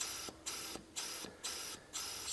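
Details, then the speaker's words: 1973 Mercury Cougar AC system, pressurized with air after a leak showed during vacuum: a steady air hiss with regular short pauses comes from the AC service valves, which are faulty and need replacing; otherwise it appears to be the only major leak. "So these valves are no good, so I'm going to have to see about getting new valves to stop that leak."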